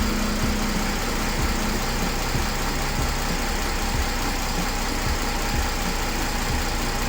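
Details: Mercedes CLS 3.0 diesel (320 CDI) with power loss, after replacing the turbo actuator, restarted: even diesel clatter at idle, settled and steady with no hunting or surging; normal idle.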